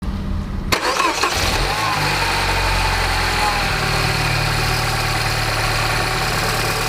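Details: Peugeot RCZ THP 200 cold start: cranks, catches, then fast cold idle with an uneven metallic rattle. The source is unidentified despite a new tensioner, timing chain, sprockets and guides.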